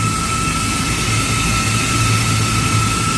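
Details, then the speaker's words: Walk-in freezer refrigeration compressor at startup under heavy load: loud, harsh steady roar with a fixed whine, running very rough; after five minutes it drew about 12 amps and tripped internal overload. "ooh, sound rough, sounds very rough it doesn't sound good at all."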